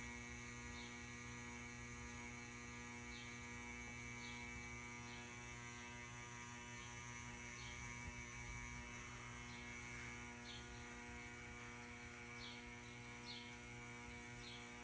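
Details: Ceiling fan gives a constant low mains-type hum with faint ticks about twice a second, likely a motor buzz. The owner assumes the cause is electrical, unconfirmed.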